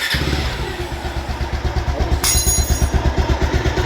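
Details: Bajaj Pulsar single-cylinder, started after the sound-problem repair was fully completed: fires up cleanly and settles into an even, steady thump around three beats a second; sounds healthy.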